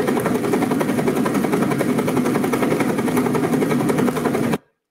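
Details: Flow tunnel test of a composite hydrofoil, same geometry and material as a comparison foil but different fibre orientation: dense fast crackling rattle over rushing water; strong cavitation and flow-induced vibration.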